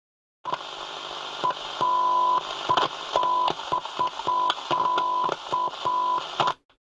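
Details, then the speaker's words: Soundesign 2422 transistor radio on a 6 V bench supply: steady tone keeps dropping out and snapping back with crackles when the board is touched; intermittent faulty transistor to be replaced. "there's no way that I can leave it like that because rest assured it would um fail the minute I sent it back so we're going to have to change that transistor there stopped again now look can you hear that touch it again"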